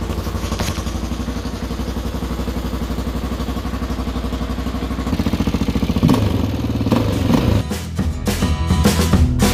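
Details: 1997 Honda XR400 dirt bike, first start after restoration once fuel, air filter and exhaust were fitted: an even single-cylinder thump catches and holds idle, then revs in short blips. A healthy start.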